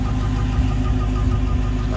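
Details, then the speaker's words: Dodge Charger Redeye at idle: short high chirps about eight per second over the idle rumble, heard under the hood from both sides and possibly under the car; owner doubts it's the belt, source unconfirmed. "a bird chirping or something under the hood. You hear it from both sides too. I don't think it's coming from the belt."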